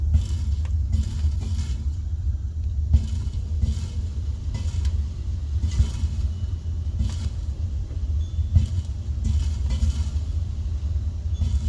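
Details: Tank water heater with hot water running out after one 15-minute shower: steady deep rumble with scattered faint pops and ticks.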